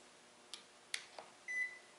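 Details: Electrolux MEF33 220V microwave from 2014 with unresponsive buttons, fed through an autotransformer from 110V: a short single electronic beep at plug-in over a quiet room, with the display lighting, a normal power-on.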